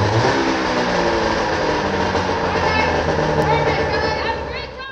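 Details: 1995 Arctic Cat ZR 580 snowmobile two-stroke started up after carburetor troubleshooting: loud, steady drone with busy crackle and firm even beat, fading out toward the end; healthy, normal running.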